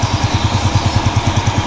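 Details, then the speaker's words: Yamaha Jupiter Z1, recently rebuilt with a new cylinder block, was rough when hot; engine fairly warm, after revving it drops back to an even, steady idle with no knock or tick; normal idle. "nah habir digeber habis digeber suaranya kembali langsam bagus"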